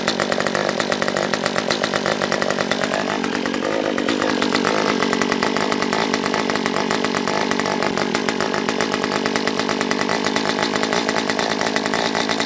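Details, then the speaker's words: Stihl MS194T chainsaw brought in non-running with fuel issues, carb set full rich on low and high, off choke: high ragged buzz with uneven pops and a stumbling rev; owner hears air sucking, suspects carb; popping, poor running. "Yeah, I mean, I can hear it sucking air or something. Okay, take it off a choke. Alright, let's go all the way rich and low, and we'll go rich on high too, I guess. It's popping, so I know this is going to be carb."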